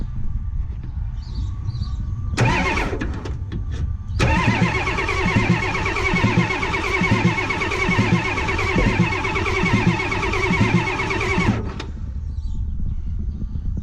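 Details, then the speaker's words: 1989 Ford F250 7.3 IDI diesel, first start attempts: long steady starter churning, about one slow beat a second, never catches; air in the fuel suspected, bled via Schrader valve. "all right first try we're gonna just keep leaving the air out through this here Schrader valve comes out we didn't get nowhere let's try again"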